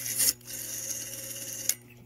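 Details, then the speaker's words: Western Electric 6-type vintage rotary dial returning: a soft, smooth, continuous whirring rasp with no distinct clicks, much quieter than the 2 and 4 dials; a quiet, healthy dial. "listen to this one it's nowhere near as pronounced with the two fours and this one is a six these are really quiet"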